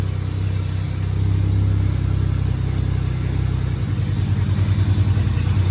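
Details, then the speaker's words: Camaro off road 20 years; deep uneven rumble pulsing under revving, sounds rough, cause unclear; small fuel leak remains, engine temperature unknown. "Ooh, that didn't sound good."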